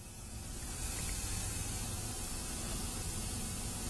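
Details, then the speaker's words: 1998 Blazer air-ride compressor system during setup: constant hiss of escaping air over a low background hum; air leaking from a fitting left without Teflon tape because the parts are not bolted down yet. "Cause it is a good bit of air leaking out there. You can hear it."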